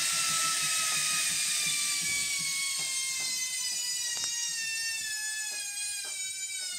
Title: Noisy Hotpoint Washing Machine